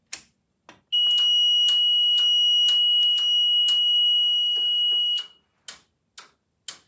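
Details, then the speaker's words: New French fire alarm panel in alarm after a GE 270 SPO manual pull station is pulled: high steady alarm tone for about four seconds over regular relay clicks, with clicks continuing after the tone stops. "so now we're going to pull this one this is my real special GE um French 270 SPO so 270 o f because it's French"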